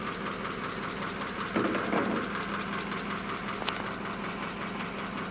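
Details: 1941 pickup idling after a wet-weather no-start fixed with compressed air, a heat gun on the distributor and a battery charge: steady, even idle with a soft regular pulse, no misses or stumbles; old engine running healthy.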